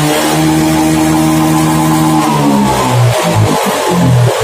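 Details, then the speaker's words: Honda Beat FI scooter with no power, free revving during TPS check: revs climb, stumble and dip around 4000 rpm, recover, then drop again above 9000 rpm; faulty throttle position sensor suspected. "Nah itu di Kisaran 4000 RPM itu mulai drop makanya ini wah motor nggak akan naik kapan di tanjakan nggak mungkin"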